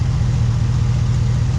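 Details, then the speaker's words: Truck after a Black Widow 250 exhaust install, check engine light on: loud, deep idle with an uneven, lumpy pulse, as if running on only about four cylinders; cause not yet known. "only running at like 4 cylinders, it sounds like. I'm not really sure what's going on."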